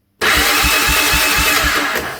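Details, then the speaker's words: Honda Big Red 300FW ATV cranked by touching the starter solenoid terminal bolt directly, bypassing the starting circuit. Steady, even cranking at about four compression pulses a second with no clicking or grinding: normal cranking. "So what we can do is just touch on the actual bolt itself, the terminal itself of the solenoid, and that should cause the engine to crank."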